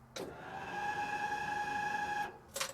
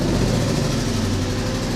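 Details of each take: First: Jeep (DJ5, CJ7 or LJR) fuel pump priming in neutral, before the fuel system was rebuilt: a loud, steady high-pitched whine for about two seconds, then a click. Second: Jeep petrol engine idling after the fuel pump whine was fixed: smooth even idle with faint steady fuel-pump hum; slightly loose exhaust may rattle against metal — normal idle.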